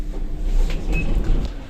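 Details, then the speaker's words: Cheap Xinda drum-type lift motor running: a deep, uneven rumble with faint rattles on top. These motors' bearings typically fail early, and worn motor bearings are suspected. Lift motor rumble. "see how bad this is It's that motor that is bad there that drum type motor was a bad"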